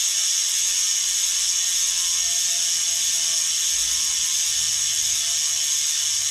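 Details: Bontrager Aeolus Pro 3V wheel with DT Swiss internals on 2022 Trek Domane SLR7; fast, high, steady buzz of ratchet clicks, pawls engaging cleanly while coasting; normal freehub ratchet clicking.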